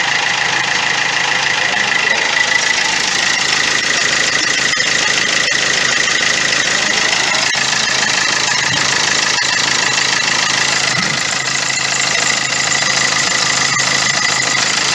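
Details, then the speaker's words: Opel Astra J with a suspected gearbox fault. Over the idle there is a steady high whine with fast, even ticking at about three per second, heard from the right side. Manual transmission noise, source not confirmed. "Bu aracın şanzımanında problem var diye tespit etti aklınızda da şimdi şanzımandaki sesi size göstereceğim"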